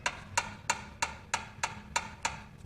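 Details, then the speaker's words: 1972 VW bus tune-up, engine rolled over by hand: sharp, hollow clacks about three per second from cylinder two exhaust valve, like a door knocker; excessive valve lash, estimated around 0.016–0.018 in. "doing cylinder two right now and exhaust on cylinder two sounds like a freaking door knocker"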